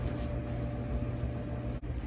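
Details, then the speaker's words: Dryer running after disassembly and maintenance for a noise complaint: even, steady low hum with faint constant tone, no scraping, squealing or thumping; odd sound gone, normal running. "everything's back together dryer is running and that odd sound that we heard is now gone so the jar just needed maintenance"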